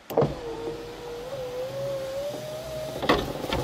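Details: Ford Ka I passenger power window lowering: steady motor hum rising slightly as glass descends, clunks at start and stop, rough noise; window sometimes fails to go back up.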